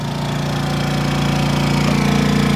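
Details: Honda 2200 W generator just outside the RV door, running a Dometic 15k AC with Softstart at about 1580 VA: a steady, even drone with a fast regular pulse, no misses or knocks, and barely audible over the AC. Healthy under load.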